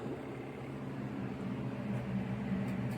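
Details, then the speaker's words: SUPER DEAL twin-tub portable washing machine, wash motor running while the spin dryer has failed: steady low hum with a mild periodic churn as the agitator swings left and right, wash motor working normally. "the motor will turn on and function properly by going left to right"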